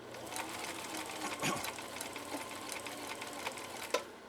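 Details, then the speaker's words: 1960s Husqvarna Viking 6440 Colormatic sewing machine after parts and adjustments, sewing four layers of commercial upholstery material: quick, even needle ticking with one sharp thump near the end, punching through smoothly; normal sewing. "let's finish off this uh sew off again four layers of commercial upholstery material here we go"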